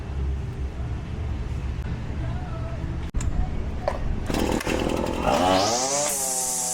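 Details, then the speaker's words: Husqvarna 525L two-stroke trimmer after repair, air filter refitted: picks up and revs cleanly into a steady high drone with no misfire or stumble; normal running. "Sounds good."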